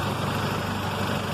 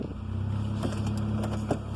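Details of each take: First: 1994 Honda Civic LX, under 93,000 miles, started after battery charge/jump, AC running: steady, even, quiet idle hum with no knocks or misses, loud exhaust note from a bad muffler; normal idle. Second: 1994 Honda Civic, under 93,000 miles, just jump-started after battery died: loud, raspy exhaust roar swelling and dropping with throttle blips, sounds like a race car.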